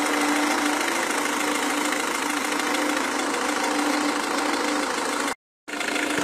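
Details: Renault Megane 1.5 dCi diesel at idle: sharp knock about four times a second over the clatter; source not yet identified.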